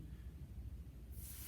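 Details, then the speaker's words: No-Blo valve changer in final step after greasing valve rubber and stem: low rumble, then sudden sharp hiss of water as the rubber stopper relaxes and releases; normal behaviour. "And right now you can hear it's starting to release, so the rubber is relaxing and coming down."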